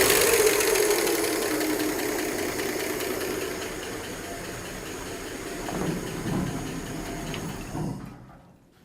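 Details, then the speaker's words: Replacement Ford 240 six in a 1967 Bell Telephone service truck, restarted with oil light going off instantly: light fast ticking clatter over a ragged idle, then dies away; loose rockers needing valve lash adjustment. "well that is not how I wanted this to go that does not sound good I don't like that at all"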